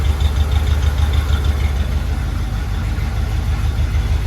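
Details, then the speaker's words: Chevy C30 square body Mason dump V8, revived after an under-hood fire, timing not yet set, door open: deep, steady, even rumble at idle with no knocks or misses; it sounds healthy. "Open up the door. Yeah. Listen to that thing purr. Come on now."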